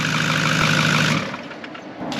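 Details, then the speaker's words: Cheap 6.4 Powerstroke diesel truck on its first start after purchase: a smooth, steady idle with an even hum and no knocking or misfire. It runs good and sounds like a good motor. "They got up like, dude, this thing sounds, dude. It sounds this good. Is a come up. Yeah. Oh my god. Yeah, it runs good."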